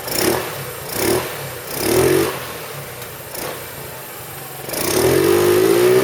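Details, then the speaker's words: 2008 Roketa Sicily 150 scooter after repair: crisp rev blips that rise and fall cleanly, then a steady climbing pull with no popping or stumbling; running beautifully before reassembly. "as you can see it's running beautifully now so I'm going to go ahead and start reassembling it here"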